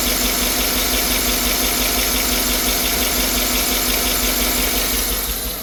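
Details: 2009 Tahoe V8, about 250,000 miles, P0300 code, low compression but passing leakdown, new plugs didn't fix it: uneven idle misfire with an intermittent raspy scrape. A lifter is suspected to be sideways and scraping the cam.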